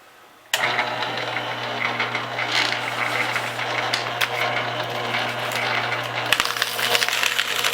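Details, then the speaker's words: Repaired trash-found Staples SPL-TXC18A 18-sheet crosscut shredder, reassembled on its bin: motor starts with steady low hum, cutters crunch evenly through paper without stalling; shreds finely, working normally. "okay check the pin you can see it's all finely shredded it's actually a little bit better than my other shredder"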